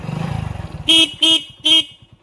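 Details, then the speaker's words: Motorcycle that would not start after two wires had been cut, rejoined and now in full OK condition. A quick, even idle putter under three short horn toots, with no misses. Normal idle. "और गाड़ी एकदम पूरा full okay condition में है। देख सकते हैं। काफी मेहनत के बाद गाइस लोग बन गया है।"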